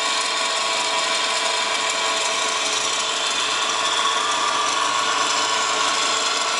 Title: WRX GDB strange noise (Solved- Bad A/C Idler Pulley)